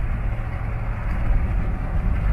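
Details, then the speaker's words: 2001 Suburban V8 idling with a low, uneven, stumbling rumble from a misfire, check engine light on; awaiting new spark plugs and wires. "misfire baby hopefully this [ __ ] gets fixed"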